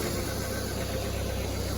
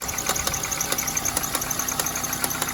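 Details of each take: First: Dodge Neon after a new alternator belt, tightened properly, replaced a loose one that had jumped off and shredded causing loud ticking: the engine idles smoothly and quietly with no ticking, popping or clicking; oil full. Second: Dodge Neon idling: sharp snapping ticks about three times a second; an alternator belt not tightened properly jumped over and is shredding.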